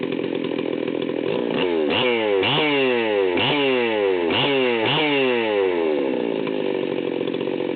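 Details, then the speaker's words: Stihl 038 Magnum chainsaw, fully assembled, low-speed needle backed out too far: rough, stumbling two-stroke idle close to dying, revs surging in sweeps as the needle is turned in, settling near 2,900 rpm; over-rich low-speed mixture. "okay so I had the needles backed out way too far when I started this up and you can see it was pretty much dying right off the bat"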